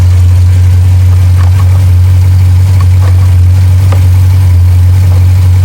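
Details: 2021 Jeep Grand Cherokee SRT 6.4 V8 after cylinder 6 misfire (P0306) repair on coil pack or spark plug, check engine light cleared: deep steady even idle, no stumble or skipped beats; normal idle.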